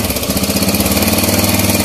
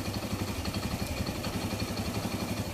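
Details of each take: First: Kawasaki Bajaj CT100 single-cylinder before repair, noisy engine: fast even rattle and grind from inside following engine speed; mechanic suspects loose timing chain, later replaced. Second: Kawasaki Bajaj CT100 single-cylinder after timing chain replacement: even steady thump about four per second, earlier internal grinding gone, no chain rattle; normal idle.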